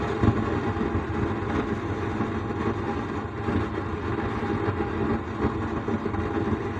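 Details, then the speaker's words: Sound Standard CA20 amplifier, powered on with the signal LED lit: rough, uneven flapping rumble from the speaker even with the volume at zero, and the same at any volume setting; caused by a faulty amplifier IC. "लेकिन इसमें volume बंद है फिर भी देखिए box में ऐसे आवाज आ रहा है और वॉल्यूम देने से भी भी आज आज आता है और जीरो करने से भी वॉल्यूम आ रहा है तो यही प्रॉब्लम है"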